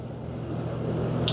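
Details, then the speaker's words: Four electronic fly swatters converted to an automatic bug zapper, after switching to a stronger 5 V power supply: steady low hum, then one sharp crackling snap of a strong spark; zapping as it should. "That's the sound it's supposed to be making."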